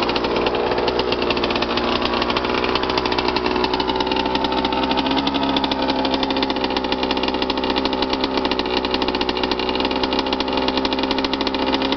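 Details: Suzuki RM125 two-stroke after full rebuild with new crank, crank bearings, rod, rod bearing, piston, cylinder wall and power valves: steady crisp buzz at even speed, no knocking, rattle or misfire; healthy engine running strong.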